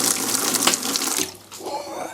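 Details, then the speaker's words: Laser cutter water chiller (failed, went bang) powered up with three-quarters tank of water; as the pump starts, hissing water sprays out for over a second then clatters, soaking the workshop. "that's gone all over the workshop marvellous"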